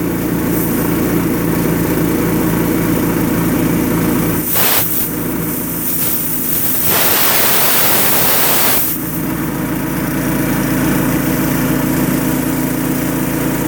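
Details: 5.5 hp Honda engine on air compressor, fresh pump oil, good belt, dirty air cleaner, choked: steady even hum with a rush of air midway; runs good, builds air well.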